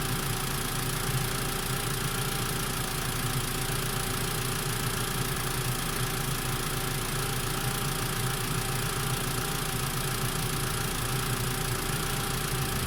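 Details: Mitsubishi MIVEC engine at warm idle after warm-up: a steady low drone with a faint rough knock underneath, an abnormal engine noise whose source is unclear.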